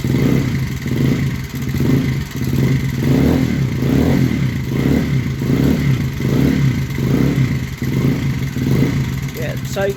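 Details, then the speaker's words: Honda CBR125R idling with a gearbox fault (gear selection almost nonexistent): loud, heavy knock over the running beat; owner suspects gearbox causing it, possibly some rod knock too, not confirmed. "as you can hear, she's pretty loud. It's quite quite a loud knocking, but it has got gearbox issues."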